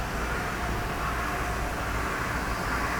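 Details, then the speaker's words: Tornos lathe milling the Torx pattern in a titanium screw on a 75-second cycle, using the high-speed electric spindle. An even cutting hiss with a faint steady spindle tone and no chatter or grinding; a smooth, healthy milling pass. "look at this thing just eat up code path one pattu they're like two machines separate this is where it's milling the torques pattern"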